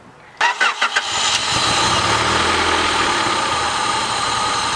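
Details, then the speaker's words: Honda Prelude after a temporary fix for a throttle that stuck and redlined the engine, smoking the clutch. Starter cranks briefly, engine catches and settles into a steady, even idle with no high hang. Normal idle. "like it's idling okay yeah i mean the idols not sticking though so that's good"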